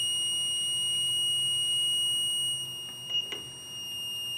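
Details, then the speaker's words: Battery low-voltage alarm module 35716 MP set to 11 V, supply simulated dropping toward about 7 V: a continuous high buzzer that softens and wavers as voltage sinks. The alarm keeps signalling until the voltage is back above 11 V. "once again it'll keep Doki signalling and the alarm going till we're back above 11 volts"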